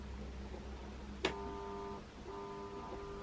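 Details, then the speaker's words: 40+ year old Bachmann De Witt model train, motor in tender, turned too low; click then quiet steady hum, motor trying to kick but not spinning up; too little voltage, stalling. "And in fact, just a little bit too much. You can hear the motor just trying to kick"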